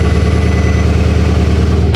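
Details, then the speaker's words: Porsche Cayenne GTS V8, abandoned car, first start after months of sludge and valve cover work by an inexperienced owner: loud, deep, even burble with raw open-pipe rumble, exhaust not fitted, no knocks or misses; rpm settling down, owner thinks it's fine. "I don't know if it sounds as it should do, but I think it's fine. We did it, and it's so nice to finally hear the sound of this engine again. Pure V8 engine. Of course we don't have an exhaust, which makes it sound a bit weird."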